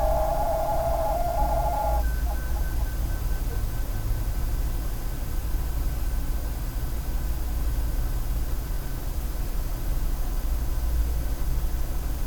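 A steady fan-like hiss with a clear tone that shifts pitch after two seconds: an abnormal hooting whine from the power supply.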